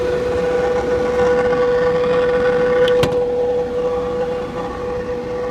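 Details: 2000 Porsche Boxster S, steady clear whirring whine at one pitch from the front area, heard over the car's running noise; whining noise.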